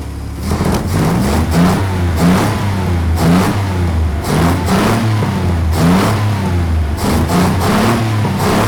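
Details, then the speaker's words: Engine's first start after restoration work, ignition points adjusted, warm: repeated throttle blips every second or so rising and falling cleanly with smooth idle between; possibly ran on five cylinders with a plug lead off at first; normal running. "But that sounds sweet, that, Johnny. It just really sounds nice, yeah."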